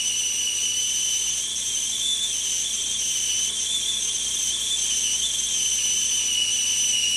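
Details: Revere Ware tea kettle after repair, with its fallen-off spout cup refitted using a nut and bolt: a high, steady steam whistle with a second higher tone, wavering slightly at the boil; normal whistling restored.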